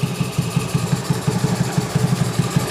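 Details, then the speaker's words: Honda Beat carburettor scooter over 8 years old with very high fuel consumption: idles with a steady rhythmic intake huffing of about six puffs a second. This is abnormal and is blamed on a faulty automatic choke. "Seperti kita lihat tadi dan kita dengar tadi, terdengar bunyi kos-hosan ya, teman-teman. Kos-hosan ya."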